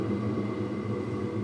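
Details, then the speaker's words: Diesel heater in a truck camper, switched off after running at level 1: the pump has stopped and the cool-down stage begins, with an even fan hum and faint whine; the fan is about to ramp up and the glow plug comes on to burn off residual fuel. "Now it's in the cool down stage, which the fan is going to ramp up in a second here. You can hear the glow plug kicked back on to burn off any residual fuel."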